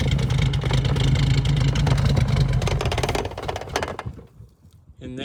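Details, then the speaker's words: 1988 Suzuki Samurai, after priming the fuel line and spraying fuel down the carburetor throat: engine catches, runs rough about three seconds, then chokes and dies; broken rubber line at the fuel filter leaking fuel. "it choked out and died and we have a leak what's the leak you have these rubber lines t to solid lines for this filter and this one is broke right here"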